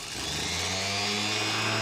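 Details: Rebuilt starter from a 1967 Pontiac Firebird that sat decades, bench-tested after commutator cleanup: steady high whir that climbs briefly then holds even pitch and cuts off cleanly; starter spins freely and strong.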